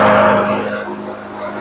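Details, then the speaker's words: Troy-Bilt TB360 mower, 190cc Briggs & Stratton professional engine, carb gummed by old gas: after fitting a new spark plug, steady even hum with no stumbling replaces the earlier shaky running. "Oh, that sounds a whole lot better. So I tell people all the time, a spark plug will not prevent an engine from starting, but it will prevent an engine from running correctly."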